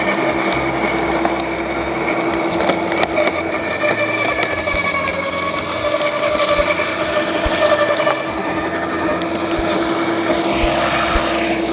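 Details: LawnMaster 2800W quiet electric garden shredder with self-feeding, shredding mixed-size garden cuttings: constant motor hum with sharp cracks and snaps as twigs and thicker branches feed through. Normal, clean shredding.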